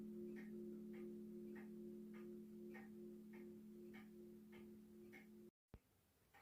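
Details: 1940s Manufrance box clock (1945–46) with a Girod movement, long pendulum and Saint Etienne rod chimes. Ringing chime notes over an even tick of about 160 a minute, with some rods flat and the strike out of tune: flat chime rods.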